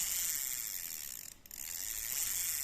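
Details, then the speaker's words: Used Japanese Daiwa Spin Matic-700 spinning reel with 2 bearings, handle turned forward and backward: an even fine whirring with no clicks, catches or grinding, smooth normal rotation. "เหมือนลื่นครับผมเดินหน้าถอยหลังได้ครับ"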